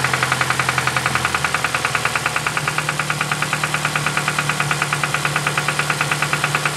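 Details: 2007 Ford Focus ZX4 ST at idle, first start in weeks after knocking began near 4500 rpm; engine was run with no oil: rhythmic knock about three hits a second; owner suspects rod knock.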